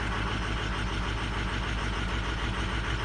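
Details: Diesel truck with 260,000 miles, cold start idle: heavy low rumble with uneven loping beat; weak injectors on cylinders 4 and 6 over-fueled by the computer, still within spec; 8 also questionable.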